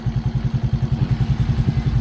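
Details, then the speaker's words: Motorcycle after top overhaul, clutch-side work and rear hub and sprocket set: steady even thump around eleven beats a second with no ticking; previous top-end tapping gone, now quiet and healthy idle. "Oh, bossing, wala na lagitik, ha. Tahimik na."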